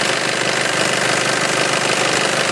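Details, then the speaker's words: Nissan Elgrand direct-injection turbo diesel, serviced in Japan, starts first turn of the key: steady, even diesel clatter at idle with no misses, knocks or strange noises; normal diesel idle. "Good battery, starts first turn of the key. Does sound like a diesel, of course, but it sounds the way it's supposed to"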